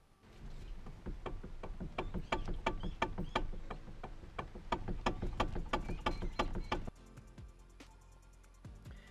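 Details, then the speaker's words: 2010 Kia Ceed steering column, recorded before repair: sharp, hollow knocks about three a second, caused by a damaged rubber damper coupler between the steering motor and the column. "Normally, what you get is a sort of knocking noise, which I've recorded, and I will show you that now."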